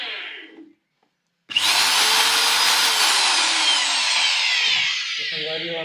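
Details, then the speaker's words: Electric drill that would not run, after fitting carbon brushes: motor spins up to strong steady high whir and bites into wood without sputtering or dropping out; repaired, running properly. "हो हमारा proper drill machine लगा आप चालू हो गए।"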